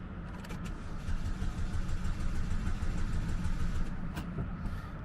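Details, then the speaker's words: GM auction car, supposedly a runner with oil checked, cranked from a cold jumper pack; starter churns slowly and laboriously without catching, not enough power from the pack. "yeah it didn't hardly give it enough juice trying this again my jumper pack's cold so i don't think"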